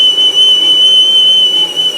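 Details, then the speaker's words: Aluminum geophone casing being turned on a lathe: a piercing, steady high-pitched squeal throughout the cut. Cutting fluid was added to reduce it. Tool squeal while cutting, cause suspected, not confirmed. "got the squealing we got the complaining let's listen juice in there to complain less with the juice"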